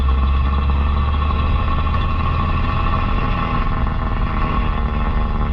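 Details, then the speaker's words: Six-volt car, Chassis Ear clamp heard through the original 1941 AM tube radio: steady normal rear differential gear whine under heavy electrical hum, sounding worse than it really is. "but I think you should still be able to hear what's going on in there without too much difficulty right there you can hear the differential gears"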